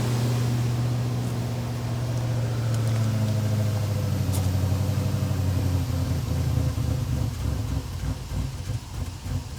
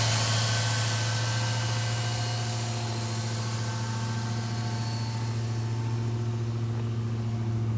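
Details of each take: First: Old Jeep just bought on Marketplace, in cold weather of about 20 °F: a steady, even hum holding well above normal idle speed. The owner suspects the missing battery means the throttle body or idle air valve must relearn idle; the cause is unconfirmed. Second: Old Jeep cold-started at about 20 °F after fuel was poured in and the system primed, with the gas gauge not working: a smooth, even low idle with a steady hum and some background hiss. The engine runs cleanly.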